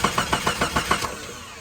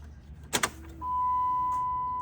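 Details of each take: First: Jeep Grand Cherokee project that doesn't run: starter cranks evenly about seven beats a second for one second, then stops without firing; fuel pressure gauge shows no pressure, fuel pump suspected dead; crank, no start. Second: $100 Jeep Grand Cherokee non-runner fed from a temporary 2-gallon tank: key-on click then steady high hum over a second, fuel pump priming normally before it starts.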